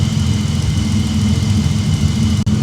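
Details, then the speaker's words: BMW E34 donor engine, bought as a non-runner, after replacing fuel pressure regulator, then mass airflow sensor (problematic late-'80s/early-'90s Bosch unit) and idle control valve: steady, even idle with smooth low hum, no misses, knocks or hunting; normal healthy idle. "he just ended up replacing the mass flow sensor and idle control valve and this is how she's running. Look at this, guys. We are good."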